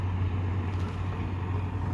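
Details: BS6 TVS XL100 moped with starting trouble: steady low whirr as engine spins over but never catches, consistent with no fuel reaching the injector; fuel pump fault.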